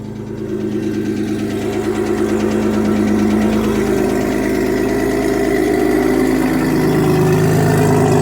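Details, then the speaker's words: Forged Audi 2.7T twin-turbo engine in a Porsche Boxster, first cold start in months: fast, light ticking that follows engine speed as the revs rise and settle; the lifter tick has not gone away with use. "So basically, when I started up, it's got a lifter ticking, which isn't the end of the world, but obviously I'll need to sort that out."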